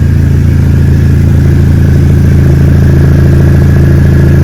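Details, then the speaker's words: Exocet chassis-swap Mazda Miata with a Flying Miata turbo, freshly built, running with a loud, steady, deep exhaust drone and even pulse, no knocks or rattles. Healthy turbo four running normally. "So that's about it down here, and I will let it down now and let you hear the glorious turbo from Flying Miata and hear this thing absolutely scream."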